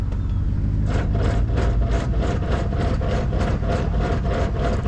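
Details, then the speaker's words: 2007 GMC Yukon that moves only in 4WD: in 2WD, rapid clicking about three times a second over the idling engine as something turns but the truck won't move; limited-slip spider gears in the 8.6-inch rear differential destroyed. "something's turning but we're not moving"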